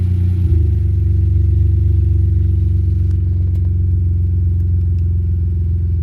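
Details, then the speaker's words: BMW E46 325xi after alternator replacement: steady, even low rumble at idle with a regular beat and no knock returning; charging holds about 14.0–14.1 V, engine healthy. "we just want to let it run just to see if the knock sound comes back all right excuse the car right now seems to be good"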